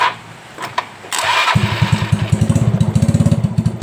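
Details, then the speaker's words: Yamaha Mio Soul whose electric start only clicked at times on the side stand: with a jumper cable from the battery ground to the engine, the starter cranks briefly and the engine catches into a steady idle. Confirms a weak battery-to-engine ground. "Berarti fix. Ini cuman kurang masa teman-teman antara aki ke bodi mesin."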